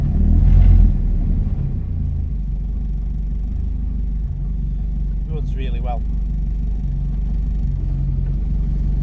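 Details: 1976 Ford Escort GL track car with a Mazda 6-speed box, just started: deep, strong engine note, a bit louder at first, then settling to a steady, even idle with no knocks or misses. Runs well; normal running.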